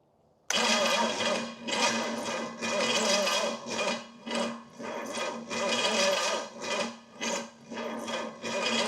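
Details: Pontiac 455 V8 (the more expensive of two engines) after oil priming, with ignition timing being adjusted and possibly far out: the starter churns in uneven surges for nine seconds without the engine catching; its solenoid appears to stick. Cranks but won't start.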